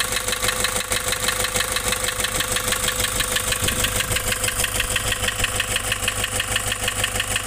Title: Nissan Urvan Estate ZD30 E25 rough idle and white smoke loss compression